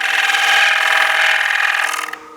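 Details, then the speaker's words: Wood lathe bowl turning with a bottoming bowl gouge with steep nose bevel: harsh, rapidly fluttering scraping chatter from the thin, unsupported bowl rim vibrating; fix is supporting the outside of the bowl with shavings. "You hear that chatter? If we're getting chatter like that, I'm going to grab some shavings and I'm going to support the outside of the bowl."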